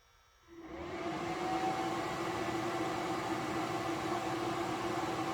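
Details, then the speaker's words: 3000 W Reliable inverter powering a 400 W HID light, about 235 W drawn, 126 V, 59.6 Hz output: cooling fan spins up to a steady whoosh with even hum under load; normal fan operation. "The fan's kicked in on this one. Pulling 235 now."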